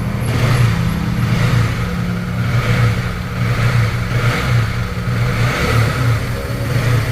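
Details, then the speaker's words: Honda CB150R after overhaul for klotok top-end noise from a loose cam chain tensioner, with an Ataka head and adjustable RRA fitted: smooth, even single-cylinder idle with a steady putter and no tapping or clacking; quiet and healthy. "Vậy là chúng ta sẽ nghe thử tiếng động. Để chắc chắn nhé. Được rồi, tiếng động ở đây êm ru."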